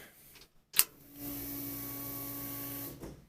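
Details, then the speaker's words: LS-swapped 1965 Chevy C-10 at key-on before cranking: a click, then a steady electric hum for about two seconds that stops on its own, normal fuel pump priming. "Alright, that's our fuel pump."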